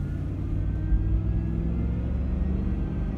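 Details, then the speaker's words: 2010 Ford F150 XLT 4WD driving uphill under load: faint high whine rising with acceleration and unchanged when steering, from a worn serpentine idler pulley bearing; two idler pulleys replaced. "that's a bearing as a bearing somewhere my serpentine though it sounds probably like like one of those idlers because it doesn't change when I turn"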